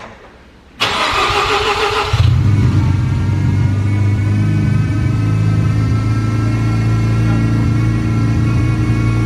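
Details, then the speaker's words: Series 6 Mazda FD RX-7 rotary, first start after fitting new turbo solenoids and actuators and tightening the check valves to cure backfiring when revved near 4,000 rpm: brief crank, then a steady even deep idle. "Alright, sounds good. It's been running probably 5-10 minutes."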